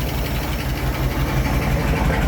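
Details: 1967 Ford F100 with FE big-block V8, cold, choke off, after carburetor rebuild fixed a leaking accelerator pump and a rich-running side: deep, even rumble with steady beat and no misses or surging, heavy smoke gone. Normal idle.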